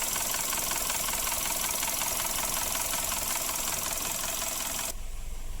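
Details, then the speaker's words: Suzuki Ertiga before engine cleaning, despite an oil change (oil was thin like diesel): rough idle with a thin, fast metallic rattle near three per second from the top end, timing chain rattle from oil starvation. Fixed by cleaning oil passages. "trouble Ertiga suaranya seperti ini Padahal sudah dilakukan penggantian oli untuk oli pun tadi sudah tipe lasting mirip solar ya"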